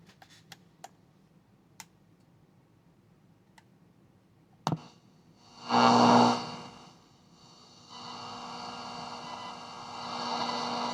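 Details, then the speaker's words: 1970s Eico model 150 solid-state signal tracer after power supply and capacitor service and pot cleaning: switch-on clicks, then steady soft hiss with only the tiniest faint hum; output about normal. "I can get up next to it and it's only the tiniest little bit of hum there"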